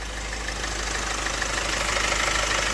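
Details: Opel 1.6 CDTI 136 hp diesel at 67,000 km idling, car raised, heard from below: fast light metallic ticking over a hissy running note; suspected timing chain rattle, not confirmed.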